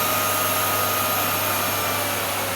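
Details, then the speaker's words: Miele Revolution 700 vacuum running on carpet: loud steady suction roar with thin constant high whine on top; owner suspects motor bearings, wondering if getting worse. "oh so these are these are all working are those bearings getting worse is it just me"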